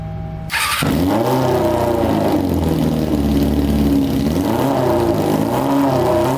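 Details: Honda CBR600 four-cylinder engine in a custom go-kart, on a gravity-fed gas tank: a high, smooth howl climbs and falls cleanly with the throttle with no misfire. It revs out fully and all cylinders seem to be running now.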